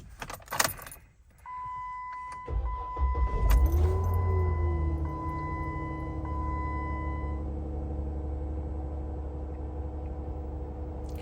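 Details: 2015 Jeep Wrangler with P0523 oil pressure code, next-morning cold start after replacing the aftermarket sensor with a MOPAR sensor, connector and oil cooler adapter: short crank, clean catch, smooth even idle with no knocks or ticks; no check-engine light, oil pressure apparently normal.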